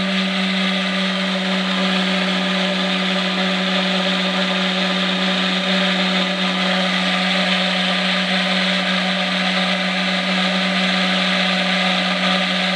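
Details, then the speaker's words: Micro hydro turbine a few days after piping install, gauge near 50 psi (from 60): steady tonal hum over rushing water that sags in pitch, turbine slowing because water supply is too low to keep the big nozzle fed; earlier described as noisy and a little raspy. "all right so we dropped pretty good our water supply is still not significant enough to keep our big nozzle nice and fed"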